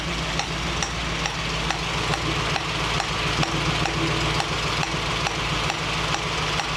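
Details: 1965 Mustang GT convertible after new Tuff Stuff 7068K 140 A alternator: steady idle with constant airy hiss and light regular ticking, a new sound seemingly from the carburetor; cause unknown.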